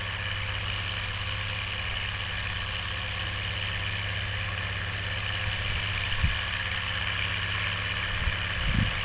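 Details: Oliver 1550 tractor, about 54 hp, disking with a JD BW disk 6–8 inches deep after fuel-system contamination cleared: steady, deep diesel drone holding even under drawbar load with no stumbling or surging; healthy running.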